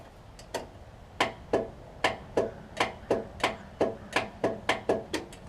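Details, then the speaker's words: Old Craftsman 38" riding mower that has sat unused for a long time: sharp dry clicks about three a second with no cranking, from a faulty starter solenoid, later replaced. "don't know if you can hear that click but the starter solenoid on it so that could be another thing"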